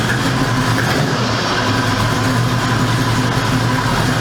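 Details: 1973 Ford Mach 1 Mustang, 351 Cleveland four-valve V8 converted to four-speed manual, at high idle and clutch release: sharp puffing tick over the V8 rumble. Exhaust manifold leak, driver's side.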